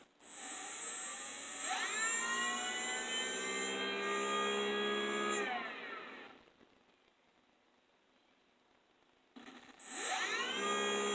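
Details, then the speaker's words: 3D-printed axial flux BLDC motor, 8 magnets, 6 coils, second test on sensorless Hobby King controller: louder tones, starts by itself (possibly due to pole count); clean whine climbs, holds, winds down and restarts; normal running. "Listen for the tones. It's much louder in this one. Starts by itself. I think that's to do with the number of poles on it."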